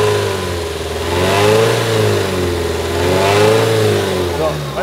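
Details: 2002 Toyota Corolla, 1.6 L, 81 kW. Revs rise and fall twice, with a tinny metallic buzz swelling at higher revs: a loose exhaust heat shield rattling.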